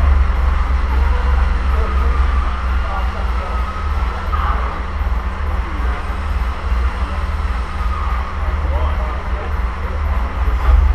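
Low, soft and steady six-cylinder running with no knocks or rattles; a quiet, healthy-sounding sleeve-valve engine.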